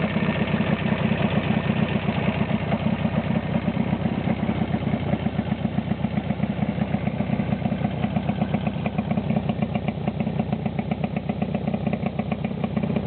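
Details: Jawa 350/638 two-stroke after cylinder-piston group (top-end) rebuild: steady, even burble at idle with a clean exhaust beat, no knocking or rattle; running healthy.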